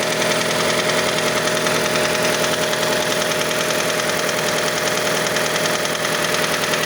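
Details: Mazda CX-5 engine knocking when cold, until coolant reaches 70 °C; steady idle with quick fairly even tapping about three or four per second; cause unknown, variable valve timing mechanism suspected.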